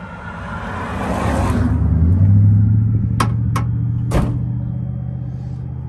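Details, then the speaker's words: 2006 Dodge Sprinter diesel, crankshaft position sensor fault blamed: steady starter churn about four turns a second with hisses of starting-fluid spray, turns over but never fires. A glow plug is missing or disconnected, battery 12.2 V; crank no start. "So it looks like it's not gonna work with this stuff."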